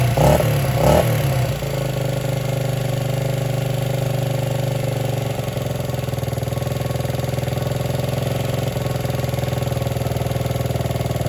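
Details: 1978 Honda XR75 single, first run since about 1989 after restoration; rough catch, then lumpy uneven putter around 200 beats a minute; would not idle or drive well, low on power; timing and compression checked; cause was carburetor needle clip in wrong position.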